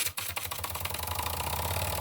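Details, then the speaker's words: Old Jensen #35 live steam engine, double-acting, first run in decades, electric boiler heated about 10 minutes at about 100 volts on a variac: rapid, even chuffing settling into a steady beat; starts cleanly with plenty of pressure, runs smoothly. "And we're off. I believe we got plenty of pressure."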